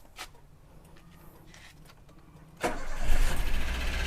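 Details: Daihatsu Xenia 1300 cc ran out of oil through an unrepaired leak after an oil change ten days earlier: engine fires and runs rough and uneven with harsh clatter when revved; internal damage, needs teardown.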